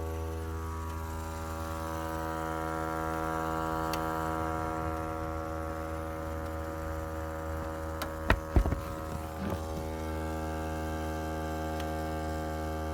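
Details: Volvo S60 model year 2012, after engine shutdown: a steady low electrical buzz drones on with a few faint clicks midway; source unclear, owner unsure whether it is normal.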